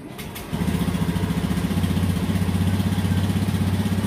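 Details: 2018 Honda Beat scooter with power loss at high rpm on throttle, no fault code: catches at half a second, then settles to a steady even putter; normal, healthy idle.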